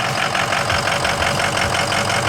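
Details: Ford 6.0 Power Stroke diesel after repair, cylinder 5 misfire gone per power balance test; even, crisp, regular diesel clatter at idle, consistent beat, no skipping or dropped cylinder; normal idle.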